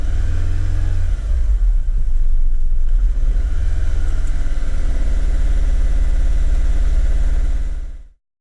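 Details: 2010 Renault Megane 1.6 petrol, 60,000 miles, engine light on: deep engine note with uneven, lumpy beat that never smooths as it revs; misfire traced to faulty cylinder 4 fuel injector, fixed by replacing it.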